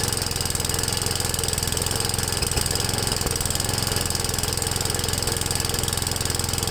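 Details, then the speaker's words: Ariens with 8HP Tecumseh engine running on a new HIPA 360 replacement carburetor, first start with choke at about half throttle: rapid, slightly uneven putter; owner thinks it is running a little lean and plans to adjust the high-speed mixture screw. "to me it sounds like it's running a little lean"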